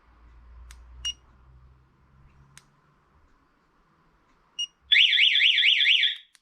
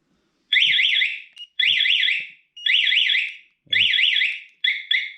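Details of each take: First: Spy 5000 two-way alarm being fitted to a BMW motorcycle: a few short chirps, then a loud high warbling siren sweeping up and down for about a second; the alarm goes off instead of arming, cause not yet worked out. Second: Spy 5000 two-way alarm newly installed on a motorcycle, triggered after arming with siren: loud warbling two-tone siren in repeated bursts of about a second, no pre-warning chirps; alarm siren working as intended.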